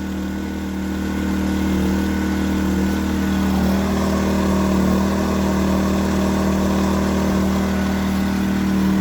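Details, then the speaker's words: New Predator 2000 inverter generator, first start on a little fuel after priming: steady, even mid-pitched hum, moderate loudness, no knocks or misses; running healthy. "not very quiet not very loud that's pretty nice i put just enough fuel in it to start it up that way it's ready to go when i need it"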